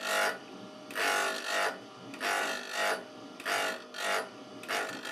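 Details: KEF Slibette 8 drill grinder: drill bit swung full left to right across the stone, ground until nearly no sparks remain, giving a rhythmic rasping grind that swells and fades about every 1.25 seconds; normal sharpening, result very sharp.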